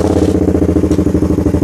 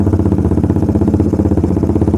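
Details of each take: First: Suzuki Satria Fi150 at idle with an anti-stutter cable fitted on the O2 sensor wiring: small single thumps with an uneven, stumbling low-rpm stutter while held at idle, though it clears when revved hard. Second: Suzuki Satria Fi150 with stock coil and plug and an anti-brebet cable fitted, riding held at 2000 rpm: loud, firm, even beat with no hesitation. A slight stumble appeared on a later try.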